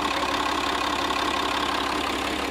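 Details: Freshly installed scrapyard UHZ DT17TED4 diesel in a Citroën C6, car raised, idling on a cold day while coolant fills: a faint, even tick over the clatter. Owner says it sounds different and suspects an injector sticking; no engine fault shown.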